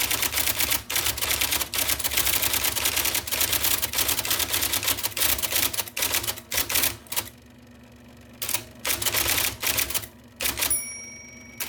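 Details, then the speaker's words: 1979 IBM Selectric II (non-correcting), revived after fixing a miswired plug and cleaning and lubricating: crisp, definite strikes at uneven pace about three a second with short pauses; normal typing. "There is such a wonderful tactile experience from this typewriter. I love that noise. It's very definite. It tells you in no uncertain terms, I am typing letters for you."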